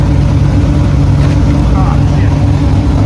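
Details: Cadillac CTS-V V8 drift car after exhaust repair, exhaust now exiting out the back though a leak or two reportedly remains underneath: deep steady V8 rumble under revs, no rasp or ticking, normal exhaust revving; cabin much quieter.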